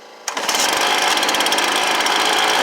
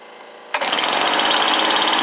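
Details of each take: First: Stihl BR430 blower with replacement Hipa carburetor, straight out of the box: loud buzzy two-stroke idle surging and wavering instead of settling; idle setting off, fixed with about an eighth turn left on the high idle screw. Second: Stihl BR430 blower after a Hipa carburetor replacement, with the air filter in and the high idle screw turned about an eighth of a turn left: catches at once, then settles into an even, rattle-free putter. Normal start and idle.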